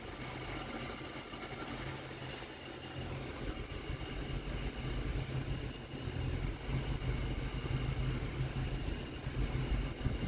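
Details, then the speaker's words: Nissan NV van with A/C inoperative from a shorted A/C switch in the head unit: once the circuit is grounded, steady low idle with a slight extra hum and load as the compressor kicks on; engine and A/C both run. "Now I got AC. Now I can feel it. You can almost hear it on it."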